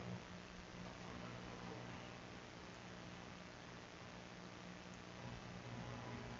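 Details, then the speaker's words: Alpine MRP-M1000 mono car audio amplifier after repair, powered on with no signal: only a faint, even hiss with no buzzing, mains hum or interference. The earlier noise is gone and the amplifier idles normally. "Voilà il est allumé. Et on entend pas de on entend plus de bruit. Il y a plus de parasite."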